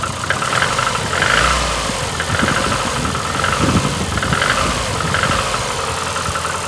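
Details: VAZ 2115 8-valve after a head gasket failure at cylinder one, antifreeze and 5W40 oil replaced, valves adjusted three months ago. Cold idle is lumpy and misfiring with a knock; when warm it sounds like rubbing, check engine light on, cause unknown.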